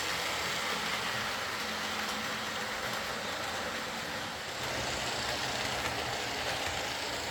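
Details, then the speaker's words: Old Lima Class 40 model locomotive in BR green, after repair with a completely replaced motorised chassis (original front bogie faulty, wouldn't run): even steady hiss-like whirr, no surges, stutters or grinding as it pulls away slowly; quiet, normal running. "So there we are, that's Tim's Lima Class 40 running nicely, albeit with a completely replaced chassis."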